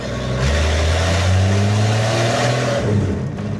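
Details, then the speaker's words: 1948 Chevy Stylemaster inline six with no real exhaust, just a short pipe off the manifold, on test drive after repair of a breakdown: loud open-pipe note revs cleanly and pulls smoothly without misses or knocks. "I mean, she goes really well for a 1948 Chevy Stylemaster. It's got an inline six. It has got straight-through exhaust."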